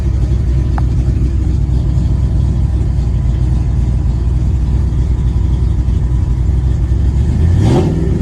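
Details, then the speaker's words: 1994 Ford F-150 5.0 V8 with aluminum heads and Paradigm supercharger idles rough with an uneven loping pulse, brief rev; runs better above idle, worse with AC; TPS, IAC, ICM, computer, plugs, cap, rotor, wires, injectors replaced; spark and fuel pressure confirmed. "it seems to just idle rough and I can't figure it out"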